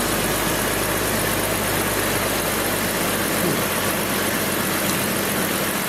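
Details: 2002 BMW 330Ci after fuel pump replacement: steady, even idle with a smooth low hum under constant background hiss, no misses or stumbles; normal idle.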